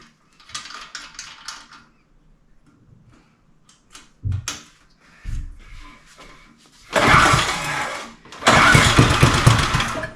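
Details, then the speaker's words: Neglected John Deere two-stroke tiller with good compression and spark, before any tank or carb work, started on fuel poured in with the choke worked, smoking a little: two short, thin, rough bursts that catch only briefly. It starts, but weakly. "there you go it's not super strong but uh I'll take it"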